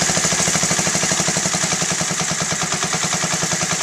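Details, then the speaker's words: Honda Z50A Mini Trail 50 single, carb cleaned and rebuilt, warm after about 5 minutes of running, pilot air screw about 1.5 turns out: idle deliberately set very low with slow, slightly uneven putters so mixture changes show. "So right there, like really low, lower than normal, so any adjustments here, you're going to be able to tell."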